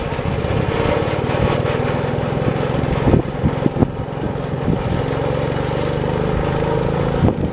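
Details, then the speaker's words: 1968 John Deere 112 mower, after belt and variator work, parked at full variator: engine runs unevenly with a lumpy beat and stumbles. Rough running; the owner suspects the carburetor needs cleaning. "so so i think the carburetor might need clean as you guys saw i had to mess with it a little bit to get it to actually want to go"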